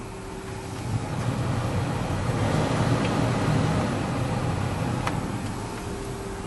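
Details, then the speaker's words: 2008 Ford F350 whose heater blower worked only on speeds 3 and 4, after the repair: steady low airy whoosh on low speed with no squeal, rattle or tick; all blower speeds now work normally. "so all of our speeds are working just the way it's supposed to"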